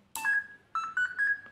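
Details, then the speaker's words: Electronic speed controller in a four-wheel-drive RC car powered on, connected to the wheel drive motor. A run of clean beeps climbs in pitch: the normal startup melody with the motor recognised. "you see here this melody and now if i activate this trigger the wheel should turn"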